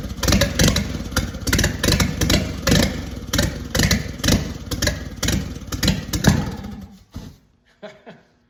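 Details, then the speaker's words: 1943 Willys Go Devil WWII Jeep engine, run after decades on spray-bottle gasoline; heavy uneven lumpy thumping about 2.5 beats/s that stumbles and stops, rough idle; oil pressure about 35 psi. "So being that it's not idling perfectly, that's probably okay. Wonder if I can get it running better than that."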